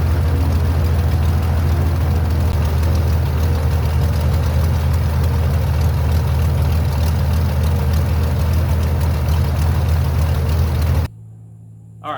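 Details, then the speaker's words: Airboat motor idling after backfiring issues suspected from water left in oil; white smoke seen at idle: deep, steady low rumble with an even firing beat, no knocks or stumbles; motor runs and idles smoothly. "So I feel much better now that the motor actually runs, it idles, it sounds smooth, it feels smooth."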